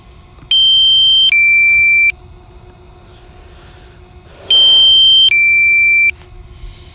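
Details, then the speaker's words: DJI Mavic Air controller low-battery warning: repeating two-tone beep pairs, high then lower, every four seconds, just before return-to-home. "this beeping is so annoying but it pretty much saves your drone when I have my first drone I wouldn't listen to this beeping battery level is low"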